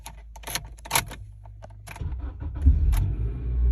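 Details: 2004 Honda Accord after replacing broken key fob case with aftermarket part and moving transponder chip: keys rattle, engine cranks and catches quickly into smooth even idle; starts normally.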